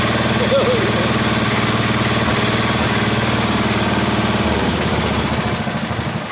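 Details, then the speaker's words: 1961 International Harvester Cub Cadet Model 70 garden tractor, 7 hp Kohler single-cylinder, first start in years on starting fluid after sitting: steady, even thump at fast idle, no misses or knocks; runs normally. "Yeah, so world's easiest will it run video, I guess. Runs like a top."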